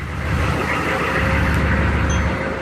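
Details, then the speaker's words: Old GM diesel just revived after sputtering, oil about six of seven quarts: deep, even rumble at steady idle with no knocks, misses or speed swings; smooth idle. "listen that kitty cat burr huh"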